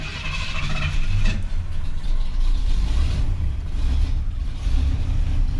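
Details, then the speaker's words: 1981 Chevrolet C10 shortbed V8, suspected of using coolant and possibly hydrolocked, just after firing up: deep, uneven rumble that surges and stumbles rather than idling smoothly. It always runs rough at start-up as if loaded up. "always runs a little rough right when it fires up like it gets loaded up"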